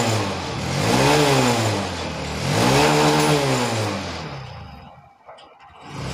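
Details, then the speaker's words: BS6 Honda Shine single-cylinder after new injector fitted to fix missing and starting problems: two clean throttle blips, revs rise and fall smoothly back to idle, no misfire; normal revving. "Start हुई bike. Idol पे छोड़ देना है। Race करते हैं।"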